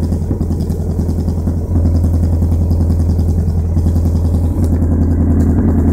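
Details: Vauxhall Corsa SRi x14xe engine with R6 bike carbs and Megajolt ECU, running lean: uneven, stumbling idle with occasional missed beats; misfire traced to a broken HT lead, and main jets were also replaced with larger ones.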